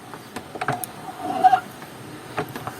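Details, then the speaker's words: Lee Load-All 2 shotshell reloading press after replacing the springs with a gas strut: only soft sliding swishes and light knocks as the handle cycles, no metallic spring squeak; quiet normal operation. "то есть слышно только скольжение кита по поверхности никакого металлического пружинного скрипа нет"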